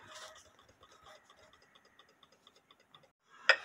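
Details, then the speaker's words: Drop dial case clock with wooden plate and double fusee movement, heard through an amplifier after the suspension leader wire was shortened to fix slow running: quick, crisp, even ticks, hand turning, clock running properly. "with the B amplifier hooked up you should be able to hear it it sounds pretty good the hand is turning now"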